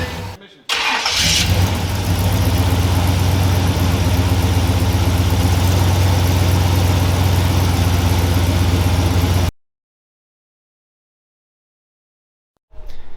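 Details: Steady knock about four times a second over the idle of a brand-new crate Chevy 350 V8 just installed in a 1984 K5 Blazer, first start; the flywheel was contacting the starter, only when put in gear.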